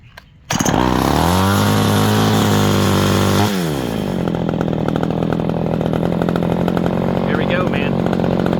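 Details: Vintage Craftsman 917 chainsaw after revival: fires on the pull, revs high and clean for about three seconds, then settles to a steady, even idle; saw runs well.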